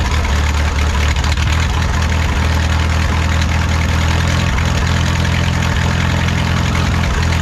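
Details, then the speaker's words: 1951 Farmall M tractor on Champion D21 spark plugs, no manifold leaks: lumpy low idle with uneven beat and occasional clanks; intermittent knock went away after switching to Autolite 316 plugs, so owner assumes the engine disliked the D21s. "we also made progress on the sense that that we're not hearing that noise anymore that uh intermittent knock or Clank or whatever you want to call it that went away when we put the auto light 316 spark plugs in it so my only assumption there is that the motor didn't really like those champion d21s"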